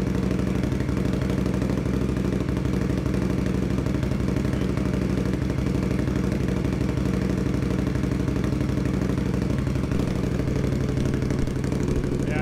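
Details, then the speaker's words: 2021 Indian Scout Bobber Twenty with Vance & Hines Twin Slash slip-ons, sound check after a cheap baffle-material quieting fix: steady, even V-twin idle with a deep loping beat. The harsh, ear-hurting edge is gone and it is noticeably tamer. "it's not like it takes the edge off of it that's the nice part about it is the really really loud Edge on it that really hurts your ears is gone"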